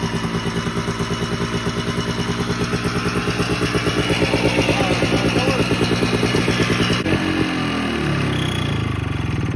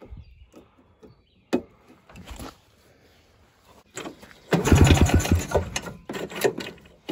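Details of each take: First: 1987 Ski-Doo Citation LS Electro 250 two-stroke snowmobile found at dump, makeshift fuel line with primer, gas possibly put into air box; rapid popping fairly even at fast idle, easing off near the end; normal running. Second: 1987 Ski-Doo Citation LS Electro 250 snowmobile found at dump, makeshift fuel line with primer and filter; pull-start clicks and gaps, then a short rough burst that fades; hard starting, won't keep running.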